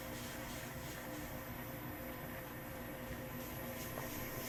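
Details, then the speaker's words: KYS Pro Baker 7+ spiral mixer at its maximum listed batch, 4.8 kg pumpkin dough, bowl at 60°F, 200 RPM: quiet even motor hum, steady pitch, no bogging, flour swishing at dry spots; normal running under full load. "This thing is so quiet that I can hear when it gets to the dry spot. You can hear the flour swish against the bottom of the bowl."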